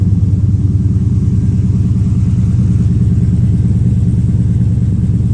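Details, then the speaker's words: 2005 Chevy Silverado 1500 5.3L V8 with Texas Speed Chopacabra cam, long-tube headers and 3-inch single exhaust, just started cold: deep loping idle chopping about three times a second; cammed idle running as intended. "Oh, start to hear it starting to chop. Yes, sir, starting to chop."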